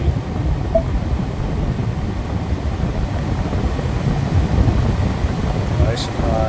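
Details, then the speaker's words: 2015 Lincoln Navigator after replacing the front blower motor resistor (blower had been stuck at max): a steady, even rush of air with a delayed ramp-up and no rattle or squeal. The blower is operating normally. "I'm sure you could hear that massive amount of air and then it does that nice delayed."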